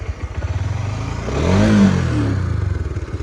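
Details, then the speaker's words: Honda CB150X bought March 2022, over 63,000 km and 3 years, original cam chain tensioner never opened; quick rev from idle with a dry metallic kelotok-kelotok clatter from the engine top end; owner plans an engine overhaul. "Seperti ada bunyi itu ya, bunyi letak-letak ya. Nah, itu guys, bunyinya khas banget, kelotok-kelotok guys."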